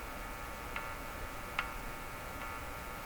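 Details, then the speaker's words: Crosley G2465 two-band radio: four sharp isolated clicks about a second apart over a quiet hum as the chassis is touched; static discharge, the charge balancing between chassis and person. "so the click part is a balancing of the charge between the chassis and me there's a sudden charge shift and that's the click"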